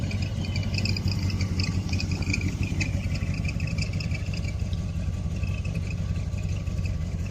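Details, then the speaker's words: 1972 Barth motorhome engine running on its own for the first time in 15 years, electric fuel pump: low steady rumble at even idle, no knocks or misses; runs like a champion. "she runs like an absolute champion"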